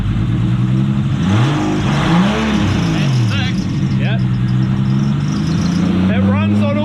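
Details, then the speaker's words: Nissan Cefiro RB25DET after the coils, coil loom and igniter were plugged back in. It previously ran on only 5 cylinders because of one wire. Now a steady, even note with clean throttle blips and no miss: normal running on all six cylinders. "runs on all 6."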